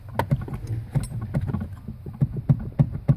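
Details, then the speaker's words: 2005 Chevrolet Silverado 2500HD steering column shaken by hand gives dull loose clunks about three a second; worn white upper column bearing is the rattle source after intermediate shaft replacement didn't fix it. "Right there. That's the source of the rattle."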